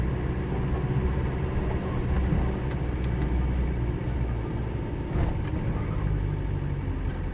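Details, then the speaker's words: 1987/88 Land Rover 90 2.5 turbo diesel seven-seater, slightly warm, low on fuel, driving. Steady low diesel rumble with even beat, no knocks or misses; engine feels healthy, used daily without problems, starts well hot or cold. "engine this one actually feels really quite healthy as i say i've um i've used it every day for the past uh past few days and it's not giving me any problems or difficulties whatsoever"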